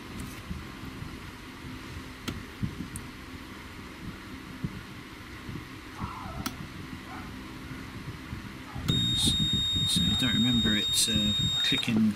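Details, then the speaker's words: Seaward Europa PAT tester after backup battery replacement for date/time loss: rapid repeating shrill beep, relay check failed with fault code 20, cannot proceed; suspected loosened terminals or dry joints from disassembly. "it's didn't reset like this turn all relays folks cannot proceed for code 20 you know that's great just because I took it apart and change the bloody battery"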